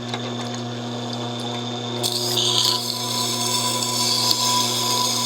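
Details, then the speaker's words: Tormek T-8 sharpening a kitchen knife at a 15-degree angle on the extra-fine diamond wheel: steady low motor hum with a soft, even hiss once the blade meets the wheel, no chatter or catching. Normal, smooth grinding. "Now this extra fine one, it is so smooth."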